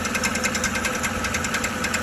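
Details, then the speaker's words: 2013 Chevrolet Silverado 1500 5.3L: quick metallic rattle-knock, about seven per second, over steady idle, mistaken for an internal engine or flexplate fault; starter drive gear stays engaged after the key is released, chattering on the flexplate. "el engranaje sale una vez que el motor ha encendido usted suelta la llave y él regresa a su lugar mira y este de cesarle no necesita ni hacer tanta presión uno y se quedó ahí"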